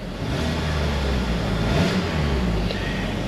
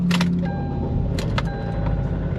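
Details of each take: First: After clearing misfire codes with the key on and engine off, the engine is restarted. It revs smoothly and cleanly with no check engine light, no misfires and power back. The mechanic suspects bearing knock picked up by the knock sensors caused limp mode. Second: Kia Sportage, 146,050 miles, check engine light on and coolant lost: engine catches and idles unevenly with loud rattling bursts on startup, like rods. Blinking check engine light, feels like running on fewer cylinders; cause unconfirmed.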